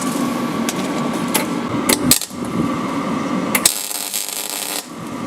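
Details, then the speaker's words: MIG welding a Land Rover rear chassis repair in a drafty spot: erratic, splattery popping and crackling instead of a smooth sizzle as the draft blows the shielding gas away. Weld spatter from lost shielding gas. "yeah that's the sound of a terrible world okay so instead of it going zoo this goes yeah it sounds splattery and that's just the gas being blown away from where i'm welding"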